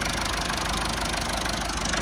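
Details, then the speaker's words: Massey Ferguson 290 tractor diesel after a no-start caused by air drawn into the fuel lines, fixed by bleeding the injectors; even, steady diesel clatter at a settled idle; normal diesel idle. "And that's how you solve it when you've got no start and you've got an air leak. You have to bleed your injectors."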